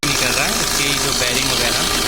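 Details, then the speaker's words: Maruti Suzuki Ritz, flat battery, battery warning and check engine lights on, hard power steering: harsh high-pitched grinding whir over the idle as the alternator fails to charge, its bearing broken inside; alternator bearing noise. "अंदर कोई सिस्टम है पूरा टूट चुका है। गेहूँ चलिए की आवाज़ भी पड़ रही है।"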